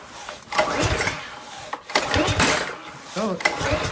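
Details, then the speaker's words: Subaru EA190V pressure washer engine, unused for years, fuel and choke on: uneven pull-start strokes turn it over with no pop or catch at all. Owner suspects a spark issue, not confirmed. "at least turns over but it definitely seems like it doesn't even want to spark at all there's like not even like a try so I'm thinking I don't know my my thought is that it's probably a spark issue"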